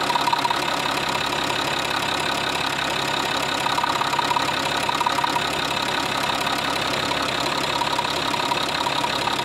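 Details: Citroën C6 fitted with a scrapyard UHZ DT17TED4 diesel engine, warming up: fast, steady, subtle ticking at about three per second over an even idle, like knocking in the injection; owner suspects a slightly sticking injector, not confirmed.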